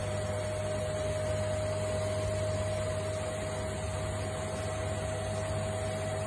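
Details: Indesit washing machine after replacing broken shock absorbers that caused squeaking on spin: hums evenly through its spin with a steady tone, no squeaks or knocks.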